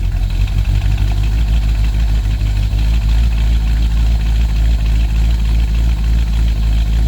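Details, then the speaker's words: 1970 Chevy C10 Suburban V8 with Sniper EFI, idle adjusted to 750 rpm: smooth even low burble with steady beat, no misses, knocks or ticks; normal idle. "I think we had it set at like 700 or 7, I think it was 750. And now she just purrs right at 750."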